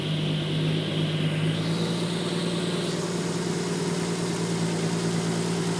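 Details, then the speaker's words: Triumph GT6 restart after one of its two carburetors, which wasn't working, had the float bowl and jet cleaned and the needle adjusted: a steady, even, smooth idle with no misses or knocks, both carbs pulling evenly; healthy. "oh yeah there it is that's it NE oh yeah that's what it's supposed to sound like"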